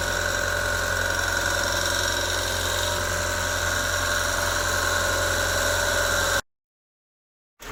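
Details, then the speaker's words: NA Mazda Miata after reinstalling the old lifters: a fast, steady metallic rattle of three or four a second over the idle from an untightened water pump pulley, plus one lifter still ticking slightly. "I forgot to tighten the pulley for my water pump and it was rattling all over the place making that awful noise"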